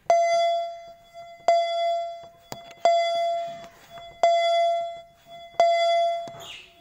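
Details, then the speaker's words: Mitsubishi Grandis: single clear ding repeating about every 1.5 seconds, the warning for an unfastened seatbelt. "yang bunyi keduanya adalah asetbet pengaman tidak dipakai pada Mitsubishi Grandis yay Nah coba ya bunyinya seperti ini"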